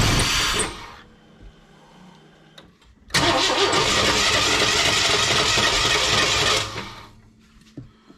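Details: 1998 Chevy work truck with crank-no-start issue, after replacing an ignition part: cranks, fires and revs up quickly for a few seconds from too much throttle, then cuts out abruptly and dies.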